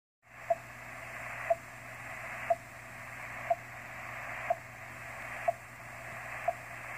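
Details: On the 30-meter amateur band, short sharp beeps once a second, evenly spaced, over steady receiver hiss; an intruding non-amateur beacon signal.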